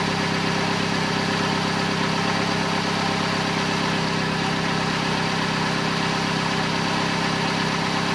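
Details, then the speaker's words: 2008 Vauxhall/Opel Corsa 1.2 petrol after replacing the exhaust middle section to the catalytic converter, with the lambda sensor refitted. Even, steady idle with a smooth low drone and no blowing or rattling underneath; much quieter, normal idle. "And there we go. The car's much quieter. We changed the exhaust and it's all working great."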